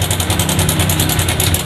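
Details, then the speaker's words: Yamaha Jupiter MX King 150 motorcycle idling with a loud, fast metallic helicopter-like chatter about ten times a second from a worn cam chain tensioner; risks chain jumping the gear and bent valves. "Itu teman-teman, suaranya kayak helikopter ya. Jadi ini bahaya ya teman-teman."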